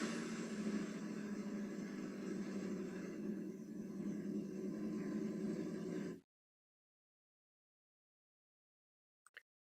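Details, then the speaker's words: 2016 Chevy Equinox 2.4 L at idle: steady rapid knock after a loud bang and power loss on the interstate. No oil on the dipstick; rear main seal leaked after a frozen PCV. Rod bearing damage likely. "you can hear the motors knocking so most likely we got rod bearing damage"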